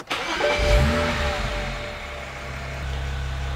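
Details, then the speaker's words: Hot restart of a swapped N54 engine in a BMW E92 335i after heat cycling at about 105°C: starter spins briefly, the engine catches cleanly and settles into a steady idle; fuel pressure slightly high, injectors noisy with the cover on. Normal hot start. "fuel pressure high is a bit higher it'll settle back down i guess injectors are so noisy when you've got the cover on"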